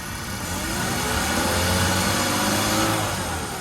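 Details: 2002 BMW E46 325i Touring petrol six after extensive work, including a new single-mass flywheel, clutch and alternator belt: revs up and settles with a faint whine rising and falling with engine speed; owner asks whether it is normal.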